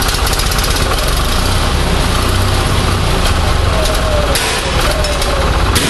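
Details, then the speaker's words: Onan 6.5 kW generator set running on an Arduino Uno ignition driving a Toyota coil-near-plug pack: loud, choppy, stumbling run with uneven hammering beats; a timing light showed spark timing jumping all over the place, causing rough running. "well so I'm gonna sort of ran but obviously we still got a timing situation I couldn't get a good number but the timing is jumping all over the place"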